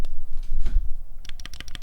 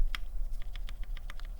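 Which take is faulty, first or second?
first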